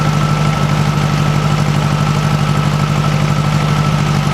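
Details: 1956 VW Beetle air-cooled flat-four, cold, on a chilly day, after swapping bad Weber 34 ICT carbs for a stock Solex 34 PICT 3: even, quiet idle with a steady beat, no puffing or ticking from the exhaust; healthy, carb still needs some adjustment.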